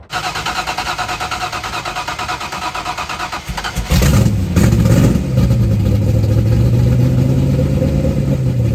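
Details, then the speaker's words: Rebuilt 1990 Lincoln Town Car 5.0 V8 (GT40 heads, 650 Holley, Torker intake, long-tube headers, T-5 manual): catches after a few cranks and settles into an even, steady idle with a smooth low rumble, no misses; normal running. "well I'm going to call that a success I mean honestly it sounds a lot better runs a lot better than I thought it was going to so I'm actually pretty happy"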